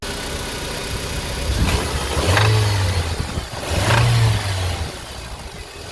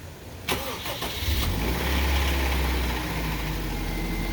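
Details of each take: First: 2005 Honda Civic DX petrol engine revved in three short blips, with a low knock under the rising revs from a worn rod bearing. It is then repaired by polishing the crankshaft. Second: 2005 Honda Civic DX after rod knock fix with polished crankshaft: petrol engine cranks briefly, catches, and settles into a steady, even idle with no knocking.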